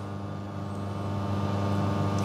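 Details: Serviced custom La Marzocco Linea Mini (new safety valve, anti-suction valve, steam valve rebuild) pulling first test shot, new shot timer working: steady even buzzing hum at constant pitch, no surging or rattling; pump running normally.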